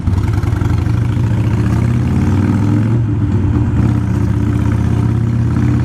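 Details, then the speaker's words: Harley Iron 883 with a Vance & Hines Fuelpak FP3 during an auto-tune session: a deep, steady V-twin rumble holding an even beat with no sputter, stumble or stall; it runs strong. "From the sounds of it, just right off the bat right now, probably not going to. It seems to be running pretty strong, so."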